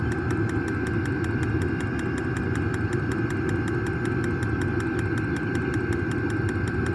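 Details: New diesel heater just installed in a Jayco Freedom caravan, running normally after switch-on with glow plugs heating: steady combustion roar with an even fuel-pump tick about four times a second, heard outside.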